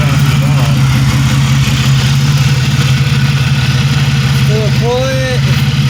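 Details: 1997 Pontiac Grand Prix GTP coupe idling with no catalytic converter fitted: a steady, even idle with a deep, slightly loud exhaust drone and no misses or knocks; normal idle, running great.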